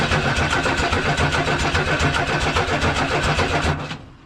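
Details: 1979 Ford F-150, 300 straight-six, C4 automatic, on starting fluid: steady starter churn about four seconds with no catch; cranks but won't fire, owner suspects it needs gas in the carb.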